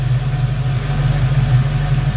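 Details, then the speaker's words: 1990 Ford Mustang GT Foxbody V8 with GT40 intakes and new Alloyworks 4-core radiator, still cool and warming at idle, no leaks found; deep smooth steady rumble, no misses, ticks or hunting. Normal idle. "and here we go see yeah it's still pretty cool we'll let it idle for a bit"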